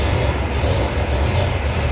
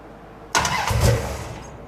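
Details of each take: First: Cold first start of a 451 big-block Mopar in a 1978 Dodge D200 with a new Edelbrock VRS 850 carburetor at untouched out-of-box settings. Deep, steady rumble at idle, which is a little slow, with no misses. Float levels look slightly high. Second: Cold first start of a 451 ci big-block Mopar in a 1978 Dodge D200 with a new Edelbrock VRS 850 carburetor at out-of-box settings: quick crank and catch, then low, slightly lazy idle; idle a little slow, float levels a bit high.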